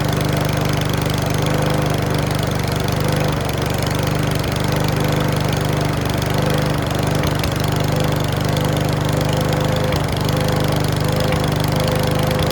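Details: Mountfield V35 150cc single-cylinder mower (HP414, 38cm cut) after a carb clean; uneven beat with occasional pops and clacks over the drone. Owner thinks the carb needle needs sorting; possibly low on fuel. Cause not confirmed.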